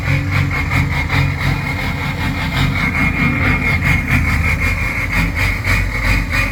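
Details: Ford 6.0 Powerstroke diesel with rough idle and smoke: deep idle with choppy, uneven, loping pulse instead of steady clatter; cause not pinned down.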